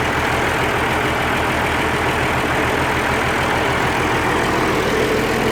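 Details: Oliver 1550 diesel tractor after injector work: loud, steady idle with even unbroken clatter, no stumbles; exhaust clearing, cheap Stanley muffler fitted, running on all cylinders.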